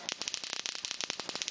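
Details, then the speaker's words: Solex moped ignition coil (weak spark, bike crawling at 25 km/h) on a Solénotest coil tester spark gap: spark snaps crackle unevenly with gaps where sparks drop out, worse at lower rate—faulty coil missing sparks. "Alors, vous entendez, le train d'étincelle n'est pas du tout constant. Voilà, il me manque quelques étincelles lorsque je réduis le rythme, mais ça s'entend très très bien au régime."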